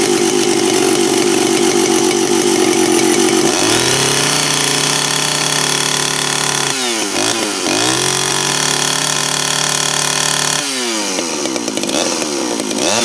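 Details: Reassembled Stihl 041AV chainsaw, choke on and throttle locked, not fully warm: two-stroke starts and revs to a high scream with a slightly uneven, burbling edge; owner thinks the high-speed mixture is too rich, idle also needs adjusting. Rich running at high speed.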